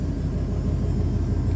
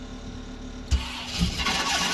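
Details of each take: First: GM V8 with about 25,000 miles, revived after seizing from oil cooler hose failure: a steady, low, even idle that sounds like it is firing on all eight, though smoky, which may clear. The remaining screech occurs only in reverse, and the owner suspects the thrust bearing. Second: GM V8 that had seized from oil loss at a loose oil cooler quick-connect, restarted with new plugs and transmission fluid in the cylinders: it catches and runs rough and uneven, smoky, because the cylinder 6 and 8 plug wires were swapped and cross-firing.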